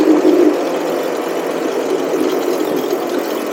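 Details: Cheap buggy's small engine, hot, riding after fitting a 120 jet; steady even buzz with no misses or surging; smooth running, only occasional hesitation.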